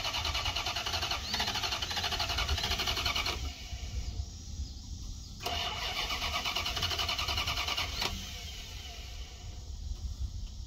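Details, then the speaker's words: 1990 Dodge Ramcharger 2WD, sat in a junkyard since about 2014, new battery, after a small engine fire: long even cranking bursts with pauses, never catches; owner suspects no fuel from the fuel pump and bad old gas. "it wants to probably got a lot of bad gas in it too but trying"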